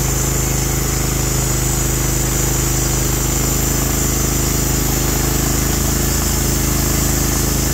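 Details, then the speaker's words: Norwood HD36v2 bandsaw mill, day two testing new roller guides that replaced the ceramic guides, slabbing big black oak through bark at about 24 in wide: a steady engine note holds firm under load with a constant cutting hiss and no bogging or surging; the cut was flat and effortless. "it went through it like it wasn't even there uh it cut flat it cut effortless um kicked out a beautiful stream of chips it loaded the motor just like it should"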